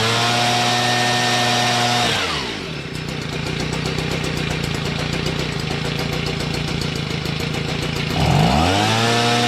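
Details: Stihl BG55 two-stroke leaf blower with a new carburetor, running off choke after earlier half-choke. It buzzes at a steady high pitch on full throttle, drops cleanly to an even idle, then snaps back up smoothly. Normal idle and full-throttle run.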